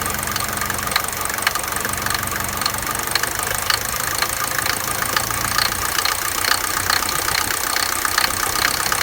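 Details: Mercedes 200D W124 diesel idling: rapid, sharp metallic knocking over a bright clatter that stops when accelerated; source unknown.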